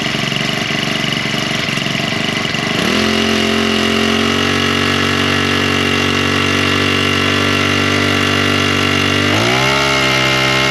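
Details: Husqvarna straight-shaft string trimmer, two-stroke, primed and started on choke then half choke with throttle; buzzes at high speed, drops cleanly to steady idle, picks up smoothly; owner still suspects bad gasoline (trash seen in fuel). Normal running.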